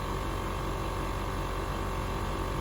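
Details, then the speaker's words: 2006 Land Rover LR3 air suspension compressor, ahead of the driver's side rear tire, heard at key-on while a suspension fault is shown: steady even low hum, constant pitch, no knocking or rattling; compressor running normally. "So right in front of the driver's side rear tire, right in the back seat or the back door, is where the air compressor is, and you can hear it running."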